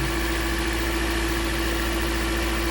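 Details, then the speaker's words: Car with a cylinder three misfire and an air-fuel ratio code, idle heard while coil plugs are unplugged: steady, elevated even hum with no dips. The idle is too high, cause not yet found. "definitely got a high idle for some reason"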